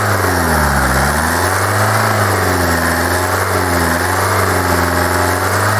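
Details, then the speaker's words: Kia 2.0 CRDi Bosch common-rail diesel, hot, with a second, previously good cleaned fuel metering valve fitted: loud idle with a hard rattly clatter and slightly hunting speed; the knocking returns, cause still unknown. "Słuchajcie dopadła mnie jakaś klątwa drugi elektrozawór podstawiony który klepał tłuk się no kurczę Zaczyna się drugi tłuc"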